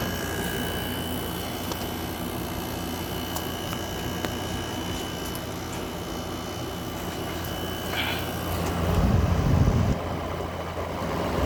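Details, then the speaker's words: 2024 Midea 5,000 BTU window air conditioner heard running from outside, condenser sweating and cold; steady low hum with a constant faint tone, no rattles, clanks or cycling, compressor sounds pretty good; normal compressor running. "This sounds pretty good with the with the the compressor sound. Yeah, sounds pretty good."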